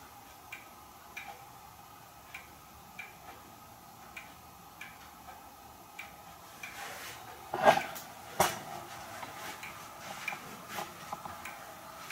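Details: Hermle weight-driven grandfather clock movement on a homemade test stand (Ford F350 rotor-disc base, 2x4 post), just levelled, pendulum fitted: crisp, even ticks about eighty per minute, brief handling bump midway; normal ticking, running in beat.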